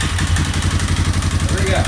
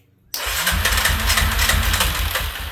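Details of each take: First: 2003 Yamaha Wolverine ATV single-cylinder, after the too-high idle and throttle setting was turned down: quick, even thumping that picks up cleanly with throttle and doesn't stumble; revving normally and healthy. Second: 2003 Yamaha Wolverine quad, after head and cam chain work, first start on full choke with a leaking carb funnel fuel feed: fires into about two and a half seconds of uneven popping, then dies, disliking choke off. Fires but won't keep running.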